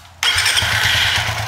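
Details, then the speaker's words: Suzuki FU FI 150 / GSX 150 with tip-over sensor bypassed by a 4K resistor reading 0.8 V (temporary fix): fires on first crank and settles into a steady even single-cylinder putter without misses; normal start and idle. "nyala normal ya kan, ya kan, nyala normal kan."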